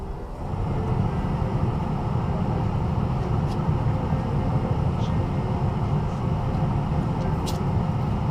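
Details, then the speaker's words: 2000 Ford F-250 after heater blower motor replacement, fan running; even, steady whoosh with low hum, no rattle, scrape or wobble, strong airflow; blower runs healthy. "yeah sounds good getting a lot of air blowing through much better now I have heat air conditioning ventilation everything is working the way it should be"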